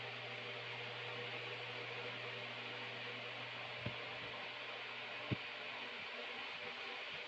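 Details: Mid-1950s Superior Electric oscillating fan, owned 40-plus years: quiet steady motor hum under soft airy whoosh, a couple of faint swivel clicks; fan running smoothly.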